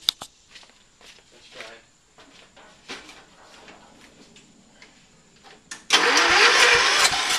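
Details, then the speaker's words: Early-1980s Ford LGT120 tractor, Kohler K301 12 hp single, engine rebuilt twice, new piston; slow uneven cranking on a weak battery with pauses, then catches and runs steady. Hard starting warm or cold; owner suspects weak coil spark from low battery. "so uh just wanted to show you how hard this thing starts here we go plus the bad the battery"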